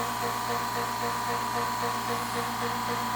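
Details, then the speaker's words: California Air Tools 10020C compressor (2 hp, 10 gallon tank) kicking back on after air use: steady even motor hum with a light pump pulse about four a second, no knocks or rattles; quiet, normal running. "I'm waiting to see how long until it kicks on oh there goes"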